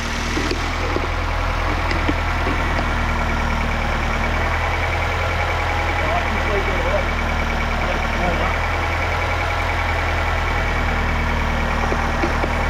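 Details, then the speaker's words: Normal idle of a 2008 Nissan X-Trail T31 2.5L after a replacement engine was fitted: steady, even idle with a smooth low hum and no knocks or misses while air is bled from the cooling system; the fuel-line debris appears bypassed. "but it sounds like we've um bypassed that which is great and um yeah it's running nice"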